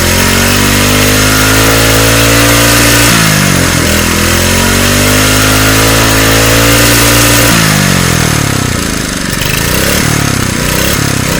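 A loud, steady single-cylinder buzz that revs up and settles back evenly without misses or knocks; this small engine runs healthy.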